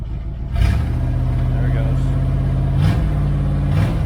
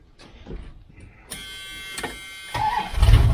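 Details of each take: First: 1978 Dodge Aspen R/T 360 four-barrel V8 during restoration, start-up without going into high idle: loud, deep unmuffled idle with blips; straight exhaust cut off at the manifold makes it loud. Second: 1978 Dodge Aspen R/T with a new smaller starter fitted: crisp crank of about a second, then fires and picks up to strong idle, sounding different from the old Chrysler-type starter; normal start.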